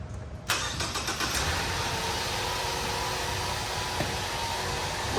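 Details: 2014 Ford Escape, first start after a battery replacement (12.02 V before start, about 15 V charging after): a quick crank, then it catches at once and settles into a smooth, steady idle with no stumble, a normal start.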